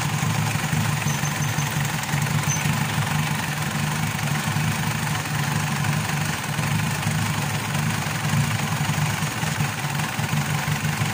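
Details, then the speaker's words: Mitsubishi Pajero diesel that starts then dies after about a minute: heavy uneven idle clatter with no steady beat; weak fuel return shows low injection pressure, fault traced to injection pump, injector and pump need calibration. "so chineck natin yung ah return yung return niya ay mahina din yung tulo so nagba-back click siya mahina yung return niya"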